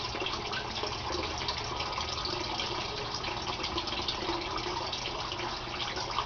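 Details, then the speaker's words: Aquaponics gravel grow bed, siphon with 1-inch PVC drain, at the start of emptying: a steady, even splashing trickle before the siphon forms after about 30 seconds. It drains normally. "Now the grow bed is going to empty out. It starts with a trickle, and then after about 30 seconds a siphon forms, and the water will come gushing out of that 1-inch PVC pipe you see there."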